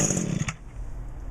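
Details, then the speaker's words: Mid-1990s Echo GT2000 two-stroke line trimmer with replacement carburetor, about 90°F, full choke, half throttle, pull start: quick burst of rough popping that dies after half a second; first firing. "Okay, started to spit a little bit."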